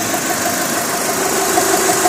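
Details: Mitsubishi 4G63/4G64/4G69, hot idle after timing belt replacement with a stiff Gates or OEM belt: steady reedy hum wavering slightly, like a dry roller but actually the belt vibrating like a string. Timing belt vibration.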